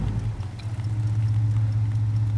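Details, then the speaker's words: Hudson Hornet, Twin H-Power, after few minutes warming, temp gauge barely moving, fast idle dropped: steady low even idle hum, no misses or knocks; normal cold idle. "there you go and now we're down in idling I'll go ahead and show you I can start driving away I'm not going to stall out or anything like that"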